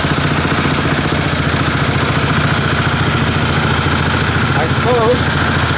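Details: 725 small engine driving under its own power with a little throttle after sitting a long time. A steady, fairly quick single-cylinder thump while pulling, with no knocks or misses. It runs normally under load.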